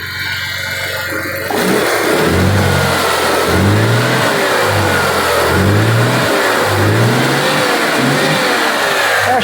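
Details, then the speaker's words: 1992 Ford Taurus petrol engine revved after a tune-up, new distributor and new O2 sensors: loud, boomy exhaust note rising and falling; suspected leak at an exhaust flange; cause unclear, possibly a gutted catalytic converter or a very loud muffler. "it doesn't sound that bad i i really wonder if like the i wonder if somebody hollowed out the catalytic inverter or it just sounds different because the muffler is very very loud"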